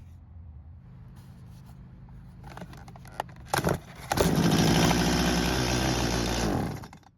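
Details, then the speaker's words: Stihl chainsaw left in a barn for years, pull-started without priming. It catches for about two seconds, then dies; it ran only when the carb was primed. Stale fuel and a hardened carburetor diaphragm are starving it. "Well, the good news is that it did try and start, but it won't do much more than that. So at the moment, I do believe the carb is the problem and we'll need to take it off for an inspection."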